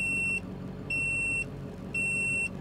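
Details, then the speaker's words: 2000 Ford 7.3 Powerstroke diesel, 212,000 miles, alternator trouble: audible voltmeter gives steady half-second beeps about once a second over low engine rumble, low-voltage alert at key-on while glow plugs draw power. "now it's showing low voltage because our glow plugs are working and there's our light so"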